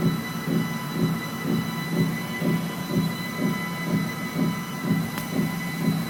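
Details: Brand-new Sole S77 treadmill running: steady thump about once a second, even and repeating; rhythmic knock from running gear, owner suspects a rear bearing, not confirmed.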